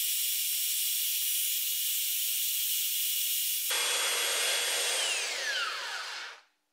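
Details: Flea-market Holtshair hand belt sander fitted with a new belt: even high-pitched whir with steady belt hiss, then a smooth falling whine as it coasts down; runs fine.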